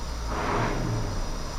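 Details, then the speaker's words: Caterpillar 3208 diesel water truck with fuel supply problem, after hand-priming fuel pressure, white smoke: low, even diesel rumble with no misses or knocks; smooth idle as it used to run. "it's idling way smoother that's how it normally acts or used to"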